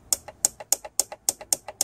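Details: 2003 Holden VY Commodore 3.8L V6 4L60E transmission solenoid, bench tested removed while powered, stuck in limp mode: crisp sharp clicks in quick pairs, about three pairs a second; solenoid clicks cleanly.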